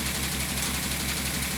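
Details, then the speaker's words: 1998 VW Eurovan idling on a lift during misfire diagnosis. A light, quick tapping rattle rides over the idle: a loose piece of the lift rack shaking with the engine, not the van. "you hear that tapping that's that rack right here that there's a probably can't see it shake it up there but"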